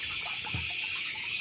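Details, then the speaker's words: House water pump runs on its own with the meter valve shut; a steady hissing rush of water keeps filling the pressure tank because the failed non-return check valve lets water flow back. "เช็ควาล์วกันย้อนมันเสียครับมันเลยทำให้น้ำมันย้อนกลับมาแทงเหมือนเดิม"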